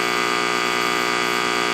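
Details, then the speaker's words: Tube amplifier with 6L6s, listening at a resistor: constant harsh fixed-pitch buzz, lots of noise once the capacitors across the rectifier diodes are removed; two cheap capacitors dramatically reduce it. "That is a lot of noise. Two 50 cent parts will dramatically reduce that."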